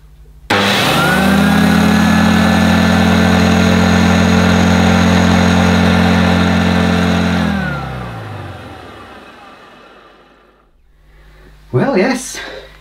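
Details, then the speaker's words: 1980s Electrolux Z1030 Lite Special upright vacuum, 270 W motor, first run after fitting a new cable and agitator belt: steady hum with a thin high squeal. Quiet but squeaky; motor bearings likely need oiling. "does work well it's quite quiet so I think it's a little bit squeaky probably could do a bit of a and oiling the bearings"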